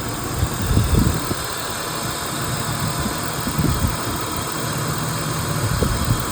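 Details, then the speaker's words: 1997 BMW 328i E36, old MAF sensor plugged in while idling: uneven lumpy rumble with stumbles, zero change versus unplugged, idles better without it; failed MAF sensor, rough idle. "Zero change. All right. All right. It had zero change when you plug it in as to having it unplugged. The car is actually idling better with it out."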